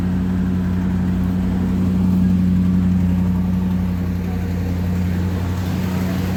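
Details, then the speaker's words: 1984 Trans Am after power steering pump replacement for a leaking reservoir-to-pump seal, bleeding with the engine running, cap off and wheel turned lock to lock: steady whine over idle rumble from air in the fluid. "I'm gonna fill the reservoir, leave the cap off, turn it on, and just turn the steering wheel max, turn it the other way max. I'm gonna do that a good number of times until it stops screaming, basically."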